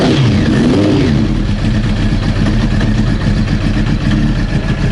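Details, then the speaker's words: Old Honda CBR900 Fireblade (carbureted), cold engine warming up on choke: uneven, stumbling lumpy idle; bike reportedly backfiring/banging, fuel-related, carbs overflowing suspected; confirmed full of fuel. "Sounds a bit encouraging, that. Just trying to get it warmed up at the moment."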